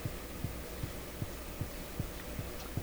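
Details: German Greatz tube radio after replacing molded capacitors: slow, steady low putt-putt thump about 2.5 beats per second over faint hum; motorboating oscillation traced to the audio circuits.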